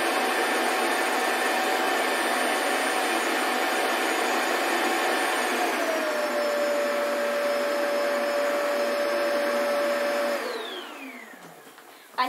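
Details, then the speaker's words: Shark Wandvac Self Empty WS642AE, new: loud steady dock motor whine about ten seconds, pitch dipping slightly midway, then winding down; normal self-empty cycle. "I think that was the self-empty bin part."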